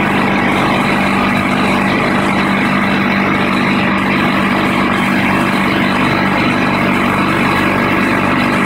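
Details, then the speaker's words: Craftsman air compressor after repairing a broken regulator piece that had leaked air: steady, even motor drone with a constant low hum and no hissing leak while filling the tank to 80 psi; normal running. "Now before, when I pumped it up, the air would be leaking through here because that piece was broken off and you could hear it hissing. Now it's not leaking."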